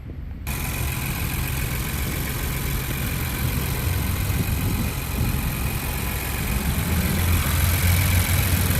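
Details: 2020-and-up Ford Bronco 2.7L at first start-up right after a UPR catch can install. Starts and settles into a smooth, steady low idle with no ticking or misses; healthy idle.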